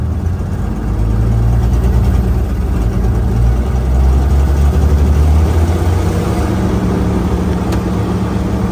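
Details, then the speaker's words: Massey Ferguson 300 tractor, a barn find with a six-cylinder engine, running for the first time and warmed up a little: deep, even rumble that swells smoothly as the throttle opens, no knocks or misses; sounds healthy while deposits burn off. "Hell yeah. That sounds healthy. Lots of stuff burning off you can smell."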